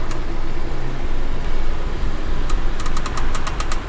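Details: Car wheel clicking while rolling, sharp clicks repeating with wheel speed, from poor contact between the wheel and the brake disc face; it can occur on one or both sides; fixed by cleaning the wheel and disc faces with brake cleaner and refitting, with lug nuts tightened in a star pattern.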